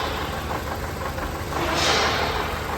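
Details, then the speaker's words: 2014 Toyota Camry 2AR 2.5L petrol engine misfiring, stumbling and vibrating when revved, with no power on the road. "तो engine जो है race पकाने के अलावा missing करता है वाइब्रेशन करता है"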